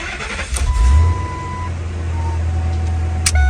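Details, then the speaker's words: 2000 Ford F250 or 2003 F350 Super Duty restarted in neutral before neutral safety switch replacement; catches cleanly, steady even low rumble, no misses or knocks; normal start and idle. "So we know we can turn it off and crank it back up again."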